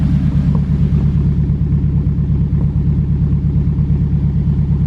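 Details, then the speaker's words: Honda Civic EK hatch, turbocharged K20, 11.5 compression, old gas, hot (about 99°F), boost raised to 25: deep, lumpy uneven beat about twice a second; weak cylinder misfire with stumble, cause unconfirmed. "you hear that it's not a deadness but it's not right it's got a weak cylinder"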